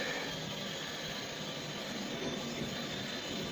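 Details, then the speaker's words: Big-flush test of a newly installed upstairs macerator toilet: a steady, whirring rush of pump and water stays even throughout with no grinding or labouring; the macerator pump is working normally. "yeah there we go it's like two big brushes or two flushes in one big flush"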